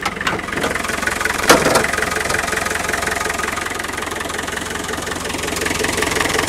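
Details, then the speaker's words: Land Rover 110 turbo diesel County station wagon, almost 170,000 miles, warm after a run: steady even diesel clatter at idle, no misses or knocks, not stalling or overheating; healthy engine, though burning oil around rocker cover gasket. "s done almost 170,000 MI this engine still feels in uh really quite rude [Music] Health it's not stalling on the when the power's dropped [Music] off overheating"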